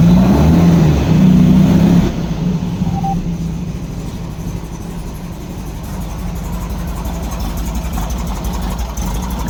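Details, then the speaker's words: 1964 Volkswagen Beetle air-cooled flat-four: uneven, lumpy stumbling idle; pulling leads three and four changed little, owner suspects left-hand carburetor not getting fuel, possible blockage; cause not confirmed. "so I have a feeling that that side is not getting fuel that's why it's running so rough"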